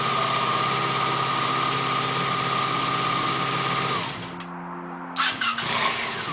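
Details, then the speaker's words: 1987 Honda VF700C Super Magna V4 after carb cleaning, 110 mains in all four carbs, crankcase breather to airbox removed, carbs not yet gauge-synced: steady, even idle, clean exhaust, drops off and blips; no misfire. "I don't know until I get my better gauges. I still could test it. It sounds pretty good."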